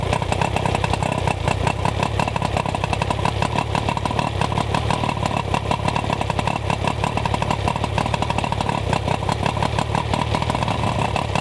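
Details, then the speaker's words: Outboard after coil boots trimmed and silicone grease on connections: rapid, even firing with no misses, settling into smooth steady run; normal running after ignition repair. "And what I ended up doing was I went through the entire process and I changed this ignition control module, which solved the problem, or at least made the engine run better."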